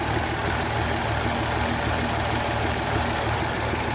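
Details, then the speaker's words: 2006 Mercedes S320 CDI W221, OM642 V6 diesel, just past cold start with engine and glow plug lights on; dull uneven, slightly lumpy idle rumble, no knocks; rough idle. "I don't know if it comes on camera correctly, but the engine is like, I don't know, something doesn't sound right."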